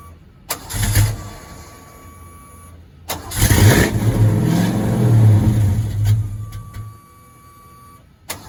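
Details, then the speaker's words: 1986 Ford Mustang GT, supposedly original-mile car (about 40–50,000 mi), sat for a while and barely drove off the tow truck; first start: long cranking, then stumbling idle that sags and dies; owner suspects a misfire, cause not yet found. "It's just running really bad. And I'm going to find out what's going on."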